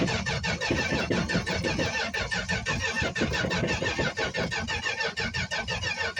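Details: 1965 Plymouth Barracuda six-cylinder, cold start after sitting about a month, recently worked on, on choke: ragged, uneven sputtering that never settles to a steady idle; fuel starvation, won't stay running.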